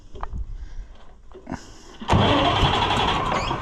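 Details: Oliver 1655 tractor diesel started after a starter replacement: a few quiet clunks, then it cranks much better, catches at once and settles into a steady, even idle; normal engine start.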